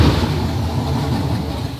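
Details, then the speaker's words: Junkyard 6.0L iron-block V8 swapped into a G-body, first start: low, lumpy idle with uneven pulses, no knocking or clunks; rough idle. "I'd say that's a good first start nothing goes bingi clunky"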